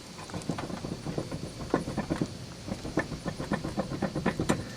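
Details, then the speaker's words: 1996 Buick Roadmaster found during first oil change, tire rocked at top by hand, engine off: irregular dull clunks and clicks; front wheel bearings loose with lots of play, owner thinks they need adjusting, rotation quiet and smooth. "Yesterday when I was changing the oil for the first time on this 96 Buick Roadmaster, I did a preliminary check of the suspension system, and one thing I noticed was the wheel bearings are loose."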